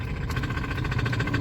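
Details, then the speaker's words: Honda Civic engine at idle, started for a mechanic: fast, even metallic ticking over low rumble that the owner describes as metal grinding inside the engine; knocking cause unknown. "that was the sound i'm hearing right now sounded like metal is grinding inside the engine right now like i can hear the sound of metal grinding inside the engine"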